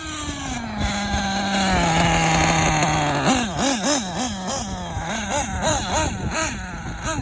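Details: K5.9 nitro engine on an HB D8T with an LRP 32 Spec 2 carb, no thermal insulator: pitch wobbles up and down about three times a second, a rough hunting warble, the low-speed needle set too lean; idle less stable than with Novarossi carb.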